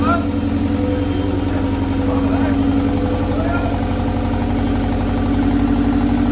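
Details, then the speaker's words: Old car started after 20 years with a homemade exhaust manifold, possibly flooded: lumpy, uneven idle with pulses dropping out, as if running on two cylinders; plugs may be replaced with a new set. "hey wow sounded like it was running on two"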